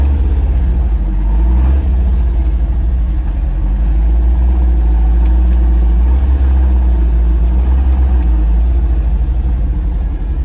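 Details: Porsche 914, 2056 cc engine, performance cam, dual throttle body MegaSquirt EFI, Tangerine Racing exhaust, test drive after basic tune: deep throaty note swells smoothly while accelerating, no stumbles; lots of torque to high rpm, healthy.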